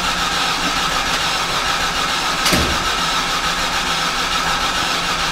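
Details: 2007 Hyundai Santa Fe 2.7L no-start: steady cranking with even compression pulses, never catches; scan data shows solid RPM signal, bank 2 cam position -12, possible timing belt issue suspected.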